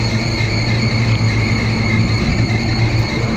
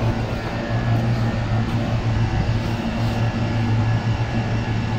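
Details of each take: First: Air conditioner: steady high whistle over an even fan hum with no pitch change, caused by a loose blower belt; the belt should be tightened to about half an inch of deflection. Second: Air conditioner blower after tightening the loose belt that caused the whistling noise: smooth even low hum with no squeal or flapping, belt noise gone, normal running.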